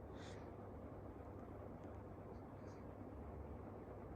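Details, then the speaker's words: Clipsal 1200mm industrial ceiling fan with oyster light on medium speed: quiet, steady low hum, no ticking, scraping or wobble; bearings sound good, normal running (owner notes blades sometimes make tin ticking sounds). "So the bearings in it are quite good though. Not really any abnormal noises or anything, so that's good."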